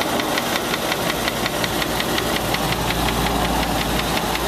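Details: Land Rover 4.6 V8 at idle with a sharp, regular knock about three per second from inside the engine; suspected bad rod bearing, collapsed piston skirt or bad lifter, not confirmed.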